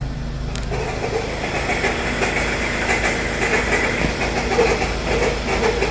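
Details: 2014 Hyundai Sonata GLS 2.4L running: rough uneven whirring chatter and faint high whine from the front belt area; failing alternator and belt tensioner pulley, fixed by replacing both plus drive belt.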